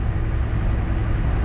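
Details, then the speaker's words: Loaded semi truck just up to highway speed on a warm 24 °C day: a deep, steady, smooth diesel drone with no knocking or ticking; the engine now sounds way quieter, like a brand new engine. "we're just up to speed here now and just been kind of listening to the engine how it's performing. And one thing that I have noticed right off the bat, my engine is way quieter. way quieter."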